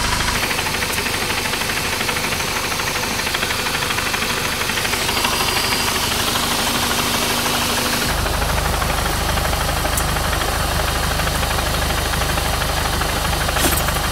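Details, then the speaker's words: 2014 VW MK6 GTI with a new downpipe and tires, driven about 37k miles in one year, petrol engine idling with a steady light tapping about three knocks a second. Owner suspects slight rod knock, pending a mechanic's check: knocking at idle. "it sounds like I have slight Rob nock in my car take a listen here"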